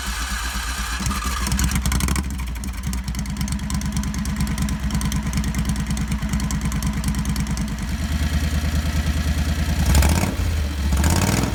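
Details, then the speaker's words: Predator 670cc V-twin in a Renault, governor removed, new exhaust, first start after reassembly: fast uneven idle (high idle due to compression relief), coughs and hesitates when throttle is goosed, sounding lean. "well it runs but it sounds like it's running lean when I goose the throttle"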